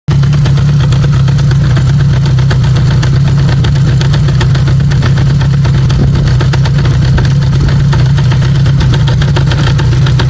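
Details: Honda CB550K engine at idle: steady loud idle with a constant fast metallic rattle over the exhaust; knock source unknown, owner suspects primary chain, cam chain or crank bearing.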